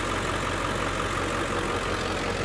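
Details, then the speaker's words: 2003 Ford Excursion with 7.3 Power Stroke diesel, 13 years old, hood open: steady, even diesel idle clatter with a smooth beat and no misses or knocks; normal diesel idle. "it's a 2003 and it's the last year of the 7.3 power stroke diesel i mean that's it's just a great motor we'll pop the hood here trying to do this with one hand there we go nice and clean underneath you can hear it running"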